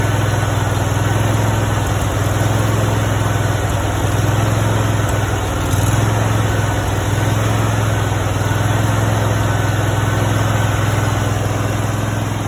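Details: Brand-new Honda GX630 20 hp engine, 0 hours, just after first start: even low thrumming idle, steady pulse about three beats a second, no knocks or misses; healthy fresh engine.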